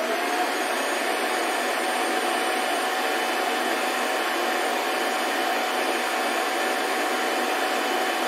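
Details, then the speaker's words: Shark Wandvac Self Empty WS642AE, new, docked: steady loud suction roar with constant mid-pitched whine, no rattles or stutter; normal self-empty cycle. "So I'm guessing every time that it goes on its dock, it'll self-empty."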